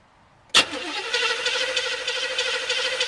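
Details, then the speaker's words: Chevy 305 V8 in a G-body, previously running on seven cylinders with a valve issue, cranked with distributor disconnected for a compression test, about 137 psi: quick, even starter rhythm with no dragging; cranks well, unlike before. "now you can hear how nice it's cranking as well which it wasn't doing before"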